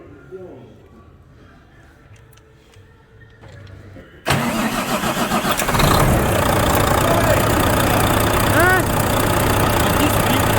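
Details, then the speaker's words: Volvo FH13 truck diesel after rocker replacement, previously squeaking from under the valve cover: cranks, catches and settles into a steady, even idle with no squeak after reassembly. "тойота скрипа нет че делать по его проебали красный вам ничего не скрипит"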